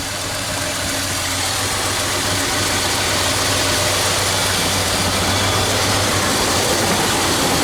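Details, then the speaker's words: 1976 Ford F-250 390 V8 idling steady and even with hiss on top, no stumbling or hunting, after a Holley 6947 carburetor rebuild and mechanical fuel pump replacement, while the idle mixture screws are set by vacuum gauge; running properly. "and as you can hear this 390 is coming along perfectly"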